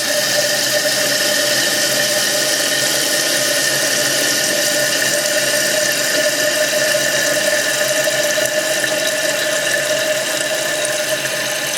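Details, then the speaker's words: Toilet on well water after replacing scaled fill valve: steady hiss of rushing water with a high whistle, filling noticeably faster; normal toilet refill. "now the last thing we need to do is just adjust it but in order to do that we need to fill it first definitely feeling faster you can certainly hear it big"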